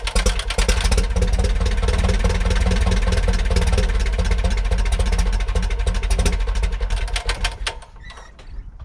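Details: 1941 Piper J5 with a Continental C85 engine, run after about 30 years dormant (last ran 1995), oil changed twice: steady, smooth, low-pitched idle with an even rapid beat and no knocks or misses for about eight seconds, then it winds down.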